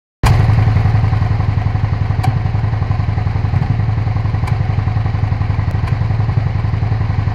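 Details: Suzuki SV650S V-twin: deep, lumpy idle with occasional sharp pops and stumbles breaking the beat. Engine misfiring.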